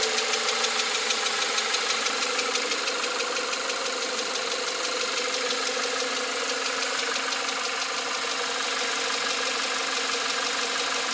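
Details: 2021 Volkswagen Atlas, 2.0 TSI EA888, 7,500 km (4,660 mi), fresh VW 0W-30 oil: crisp ticking/knocking about three times a second on cold-start idle, starting as revs drop; cause unknown.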